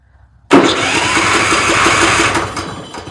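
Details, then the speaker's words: Troy-Bilt riding mower, Kohler Courage engine, cranked with some choke after the solenoid check: cranking churns about two seconds and fades without catching; cranks but won't start, a fuel issue still suspected, not confirmed. "All right, I'm gonna give it some choke. Nope. All right, is she gonna run and die? It busts off. Still got a fuel issue."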